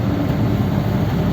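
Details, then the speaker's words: Old 59A Ford flathead V8 pulled from a truck, at idle: steady low rattling knock on every turn; connecting rods of different lengths, one piston hitting the head; engine to be rebuilt with matched rods, crank and bearings. "Nah, she's a bit rattly, isn't she? Now that's it. This motor's done."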